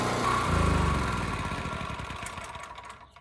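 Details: Champion 3000-running-watt 120V generator model 40026 after carburetor cleaning (rusted tank, old fuel), 87 hours; steady even beat then smooth wind-down at shutdown, no misfire or knock; held 60 Hz at 1500 W half load, normal running.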